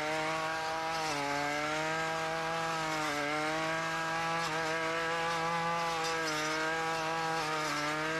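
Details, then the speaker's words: Ryobi RY253SS two-stroke string trimmer, dumpster find, started at half choke after replacing a leaking carburetor: high raspy steady buzz dipping slightly under light brush-cutting load and recovering quickly; runs well. "not too bad for a dumpster weed eater if i do say so myself um as you can tell the carburetor install was a success"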